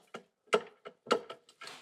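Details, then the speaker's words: Ford Transit Custom with severe vibration under load, gearbox removed: dry metallic clacks in uneven bursts as dual mass flywheel is rocked by hand, excessive play and noise; worn dual mass flywheel, replaced with new flywheel, clutch kit, hydraulic bearing. "And now look, definitely the flywheel is gone."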